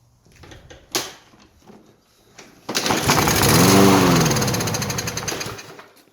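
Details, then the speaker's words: Non-running Toro 163cc lawn mower with a clean air filter, fed starting fluid into the carburetor: catches and revs hard for a couple of seconds, then dies; fuel starvation, likely clogged dirty carburetor, fuel looked okay. "As you saw a few seconds ago, I sprayed some starting fluid into the carburetor and it fired right up. So usually it's a clogged carburetor, dirty carburetor."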